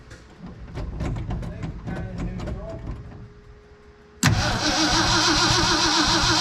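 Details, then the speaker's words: 1969 Ford F-100 that sat 5 years, already rotated by hand, cranked on the key with coil power removed so there is no spark: after clicks it turns over steadily at about four beats a second, no dead spot; normal cranking. "And it turned over nice too, no dead spot."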